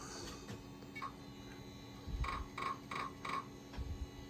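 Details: Over a quiet fan hum, short bursts of sharp ticks about every third of a second at boot of a late-90s HP Pavilion 9870 Windows ME PC that sat for years. The owner hopes it is the floppy drive; the hard drive may not be detected. Cause unconfirmed.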